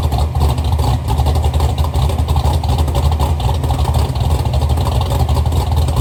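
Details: Chevy Nova V8 with rebuilt twin carburetors, heard from towards the back of the car; deep lumpy rumble with strong steady thump and slight throttle blips, more compression than the assumed 10:1, runs clean.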